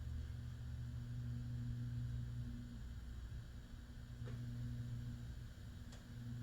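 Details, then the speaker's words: Hunter/Robbins & Myers Type 22046 Original vintage ceiling fan on solid state speed control: quiet steady hum with faint higher winding squeak, no knocking; mild motor winding hum, suspected present regardless of control, varnish might quiet it. "The little hum that I hear, I suspect, is there even without the solid It is. state."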